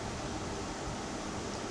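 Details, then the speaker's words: Portable (mobile) air conditioner switched to cooling mode: steady, even whirring hum with a soft low buzz and no booming or knocking; compressor running normally, louder than a split unit's indoor unit. "Well, it doesn't sound bad, it's not booming, it's more like a whirring compressor. But you can clearly hear the compressor working."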